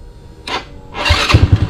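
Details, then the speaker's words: GY6 scooter (150cc or 50cc) with aftermarket electric fuel pump replacing vacuum pump, tip switch removed, 120 main jet: short crank, catches at once into even steady idle, no bogging; normal start. "Starts right up though. Good job, Phil. Oh, great. Yeah, no bogging issues at all."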